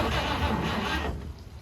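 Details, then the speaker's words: 1953 Chevy 3100 pickup, 235 inline-six unrun for over 40 years, weak battery on charger: about a second of cranking with a catch or two, then dies; cranks but no start, starter fluid next. "It's wanting to fire up. It almost did. We gotta leave the starter fluid."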